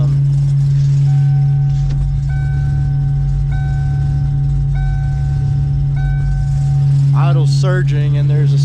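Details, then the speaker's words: 1995 Ford Mustang GT on a cold start: steady low moan with the idle surging up and down; owner suspects the idle air control motor, unconfirmed. "that sounds like um a cow giving bird I read something that said that that might be the idle air control motor since I have been having idle issues"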